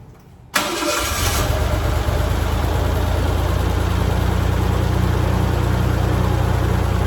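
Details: 1987 Ford Bronco II, revived after 15 years, restarted after sitting a week in a shop at about minus 15 outside: a brief crank, prompt catch, then a smooth, steady low idle with no misfires or knocking. Normal, before driving off.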